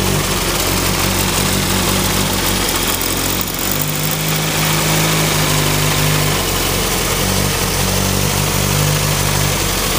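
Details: Turbo Ford Focus with a newly installed coil pack, still idling badly and seeming to miss under boost: uneven, lumpy idle wavering and stumbling over the drone. Owner suspects plug wires or the cylinder 2 injector; unconfirmed.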